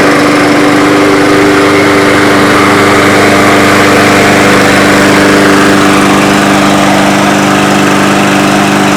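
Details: Yard Machines mower with newer Briggs engine after oil top-up: steady, even drone at constant speed with no knocks or misses; running normally.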